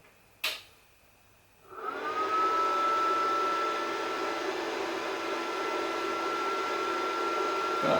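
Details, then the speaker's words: Welder switched on but not yet welding, run via RCD-protected extension while checking whether it trips the sockets. A click, then steady hum with constant whine settling in; keeps running evenly, nothing tripping out. "Right, no dramas so far, but of course I'm not using it yet."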